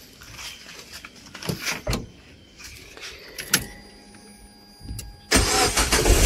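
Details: After replacing an old belt tensioner that had long made a creaking noise, the engine cranks, catches and runs steadily on restart with no creak from the belt; a few quiet clicks and handling noises first.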